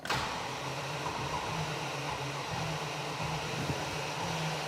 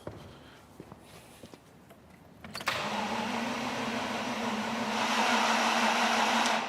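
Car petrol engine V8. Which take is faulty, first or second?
second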